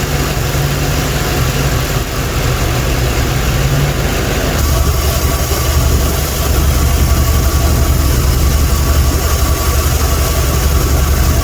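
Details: Chevrolet OBS C1500 350 V8 after distributor replacement and timing set to zero degrees: deep steady rumble with even beat, no knocks or stumbles; smooth healthy idle.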